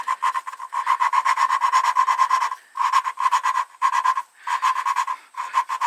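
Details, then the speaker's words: Flathead engine, valve being hand-lapped onto its pitted seat with compound: short gritty rasping strokes in bursts of about four to five per second. "they said you grind it for a little bit and if you start hearing it get smooth this thing's kind of wandering on me a little bit and when it gets so it sounds smooth pick up on it a little bit"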